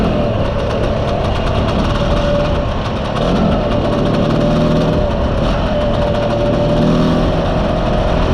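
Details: Mostly original Spanish Lambretta Jet 200 (Serveta) two-stroke on test ride after carb slide cutaway changed from 1.2 to 2.2; strong, steady drone, even note, no stutter or spitting; mid-range spluttering cleared, runs silky smooth.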